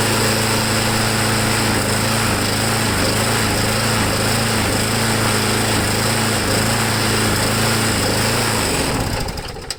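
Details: Briggs & Stratton Quantum small single-cylinder after carburettor cleaning, air filter backing modification and primer work, ductwork not refitted: fast, steady beat for nine seconds with no surging or misfire, then winds down. Normal running.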